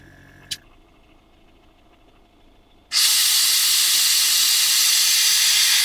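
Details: Fiat Ducato caravan with a newly installed On-Air air suspension: quiet at first, then from about three seconds a sudden steady loud hiss of air as the compressor fills the air springs. Normal air suspension inflation.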